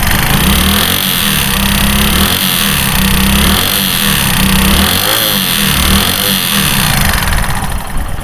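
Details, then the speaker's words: Hero Splendor Pro motorcycle engine being revved: rough internal clatter absent at idle but swelling louder as the throttle opens and rpm rises; source still unknown. "আমাদের engine যখন আমরা start দিয়ে রাখি তখন কিন্তু আমাদের ওই সাউন্ডটা করে না। যখন আমরা অ্যাক্সেলেটার টান দেই ইঞ্জিনের গতিটা যখন আমাদের বাড়ে, ঠিক ইঞ্জিনের ভিতরে যে সাউন্ডটা আছে এই শব্দটা আমাদের আস্তে আস্তে অনেক বেশি হয়।"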